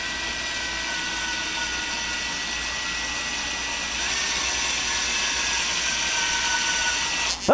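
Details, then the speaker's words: 1978 Datsun 280Z engine, oil pump primed with a drill via screwdriver shaft, camera out of housing: steady high drill whine, even pitch, no labouring, then stops once clean oil comes out of the cam holes. "it may hear some gurgling as it's coming out or bubbling I don't know that's that's what I've seen on the forums"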